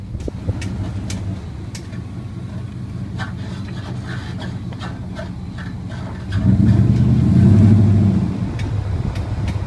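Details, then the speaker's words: 2003 Dodge Dakota quad cab 4x4: sharp, scattered clicks over low idle with a brief rev, long-standing front-end click; tie rods and steering shaft replaced, CV axles checked, source still unknown. "just trying to figure out the clicking noise uh it's been going on for a while"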